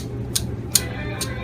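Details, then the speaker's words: Old failing upper stepper motor from a Norvell Auto Revolution Plus spray tan booth, removed and spun by hand: sharp bright clicks about every 0.4 s, then it sticks in one direction; the new motor turns smoothly and quietly. "can hear a clicking sound and now actually it's stuck and go in anymore in that direction so you hear that clicking sound that's the old one"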